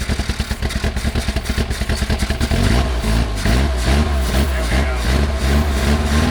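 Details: 1979 Lotus Esprit, mid-engine, long sitting, fresh gas added, clear fuel filter showing flow but old fuel suspected gelled; engine coughs and stumbles in bursts then catches into rough unsteady run: sputtering, fuel starvation suspected.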